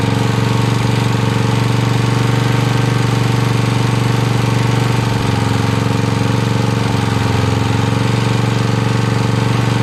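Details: 1982 Snapper Comet riding mower, electric-start 30-inch cut, 8HP Tecumseh single-cylinder, choked: fast, even, hard-hitting beat held wide open, no throttle change; runs only at full throttle, carb still needs tuning.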